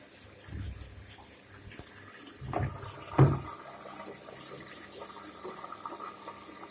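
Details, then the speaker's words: Indesit washing machine after cleaning the clogged pressure-switch hose that made it drain while filling; soft steady water rush with handling bumps, no drain pump, fills to level and the heater comes on normally. "Как видим, вода набралась до определенного уровня. Включился тен."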